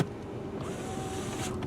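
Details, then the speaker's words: 1995 Oldsmobile Cutlass Ciera, 9,335 miles: rear power window motor gives a smooth, even electric whir for about a second with no grinding or clicking; operating normally. "let's see oh power windows it does have them let's do try this here"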